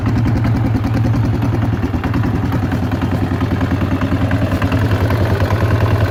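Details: Yamaha XT/TT 600 E single-cylinder near idle: steady thump with an uneven clattery tapping riding over it; abnormal mechanical engine noise, source unknown.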